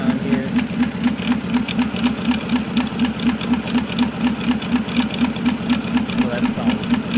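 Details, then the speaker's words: 2004 Porsche Cayenne 4.5L non-turbo, 300,000 km, new plugs and coils, code P0018 (bank 2 cam correlation): steady knock about twice per second over a rough idle. Slight misfire with internal engine noise, source not pinned down. "seems to have a slight misfire making some engine noises"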